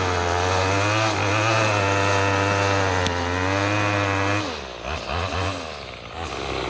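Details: Troy-Bilt TB22EC two-stroke string trimmer after a no-start fix with a new primer bulb: high steady buzz dipping and recovering with throttle while trimming; runs smooth and even.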